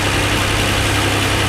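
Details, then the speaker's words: 2007 Hyundai Entourage 3.8 V6 that wouldn't start, P0102 code, after replacing the MAF/IAT sensor: engine holds a steady even idle with a constant low hum, no surging or dying; normal idle, problem fixed. "This is the time of the truth. Let's see if it starts. The key So far it's staying on."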